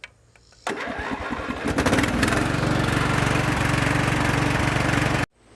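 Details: John Deere riding mower that wouldn't crank due to loose valves defeating decompression; after valve adjustment, starter churns about a second and a half, then engine catches and runs steadily.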